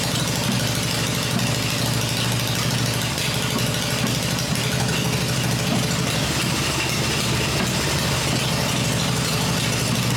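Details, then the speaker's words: Freshly built Harley Evo V-twin on a test stand, first fire-up with open exhaust: loud even open-pipe V-twin at steady idle, no knocks or misses; normal smooth idle. "ired up it's running the engine's smooth I cover the exhaust pipes up and that way I can hear everything in the engine working without listening to the exhaust this motor sounds really good I'm really pleased"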